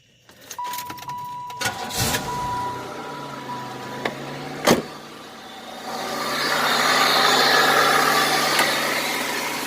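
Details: 1995 Buick Regal after oil pressure switch replacement and belt refitted, started to check for leaks: a few clicks, then the engine catches and settles into a steady, even idle hum with no knocking or squeal.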